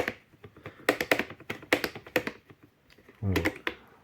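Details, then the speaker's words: Robot vacuum with a non-original replacement side brush: irregular dry clicks and taps as the brush turns, rattling with play in its square socket; fixed by shimming with a square of plastic card. "Если после того, как вы очистили от посторонних предметов щётку, а звук всё равно остался, то, скорее всего, вы эту щётку заменили на неоригинальную, и её расстояние здесь и здесь несколько меньше. И от чего в процессе вращения происходит посторонний звук?"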